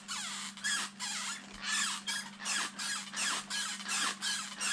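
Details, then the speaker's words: Arrma Fire-Team RC after one bash with assembly issue: diff cups wearing, rear drive shaft bent, front shaft wobbling; high chirpy squeaks about twice a second in step with shafts turning, everything dry: dry drivetrain squeak. "The front drive shaft's got a little wobble to it now as well. You can hear all the squeaking going on now."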